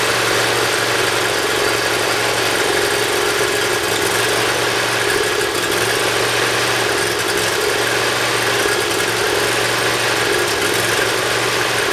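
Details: Briggs Intek V-twin mower engine, cold, on full choke after valve lash adjustment and an oil change: starts easily without starting fluid and runs loud and even with a steady low drone, no surging or hunting. Previously hard-starting and surging.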